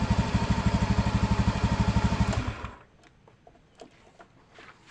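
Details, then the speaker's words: Honda Beat FI scooter that was cutting out suddenly, after a new battery and new spark plug: even, rapid exhaust pulses at fast idle, then it shuts off cleanly; the engine runs and starts fine: normal running. "untuk permasalahannya atau kendalanya sudah bisa di atas ya ini sudah Mantap sudah jadi"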